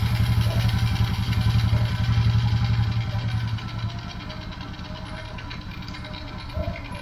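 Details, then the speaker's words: Carbureted motorcycle, cold and just started after cleaning carburetor jets clogged by water in the fuel: an even putter that eases down slightly, with no sputter, stumble or stalling. Normal idle. "Menor natin hindi pa mainit yan kakabukas lang hindi siya pumupugak h siya namamatay kasi hindi na barado yung karburador natin"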